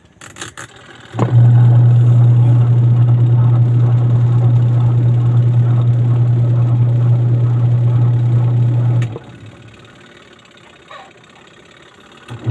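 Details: Sharp washing machine with a wash motor that would not stop and a burning smell, after the timer/switch set was replaced: motor runs with a steady low mains hum for about eight seconds, then shuts off cleanly.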